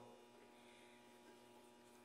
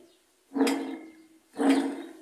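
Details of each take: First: Admiral heavy-duty washer, about 20–22 kg, being reassembled after seal and bearing replacement with suspension springs not yet all connected: quiet steady hum with faint buzz as the wash cycle starts and the coils energize normally. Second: Admiral/Maytag washing machine with water leaking past a failed seal into the tub bearing: two short rough grinding bursts as the tub is turned by hand, each dying away; worn, water-damaged bearing, deafening when washing.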